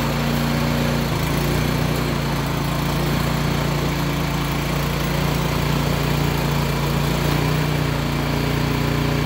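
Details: Craftsman/Yard Machines MTD snow blower with a Powermore engine after an ultrasonic clean and rebuild of the Huayi carburetor to cure surging and no-start: small single-cylinder engine running at steady, even speed with no surging or hunting, smoking quite a bit but running properly.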